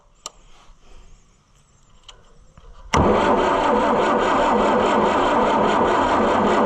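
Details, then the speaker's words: Oliver 550 diesel tractor, long sitting: steady starter cranking about three and a half beats a second, never catches; cranks, no start, owner suspects stuck injection pump and lines dry needing time to get fuel up. "Boy, it sounds like it wants to, but it just won't, you know. Doesn't it sound like it wants to start?"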